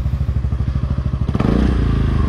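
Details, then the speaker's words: Honda Forza 300 scooter exhaust freshly repacked with fiberglass wool: soft, even putter about twelve pulses a second, then a quick clean rev; exhaust quiet, soft and healthy after repacking. "ยงประมาณนี้ครับเงียบนุ่มเลยเสียงไม่ดังเลยเงียบเสียได้ใยแก้ว"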